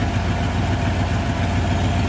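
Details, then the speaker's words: 1987 Ford F150 302 V8, automatic C6, 4x4, after correcting the firing order from HO 302 to standard, new cap and coil: low uneven idle with a lumpy slight stumble, maybe better than before but still rough; rough idle. "Okay, well, it's not running beautifully, but it is running better than before."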